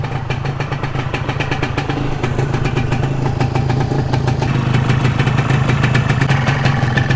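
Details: Modified Yamaha 125Z two-stroke crackles and revs upward with a burbly, uneven low end; the mixture is too rich, so low-RPM pickup suffers.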